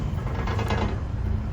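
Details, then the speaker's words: 1991 Fox Body Mustang, salvage auction car, left idling: low, uneven idle with a loose metallic chatter riding steadily over it; exhaust rattling. "Got some exhaust rattling."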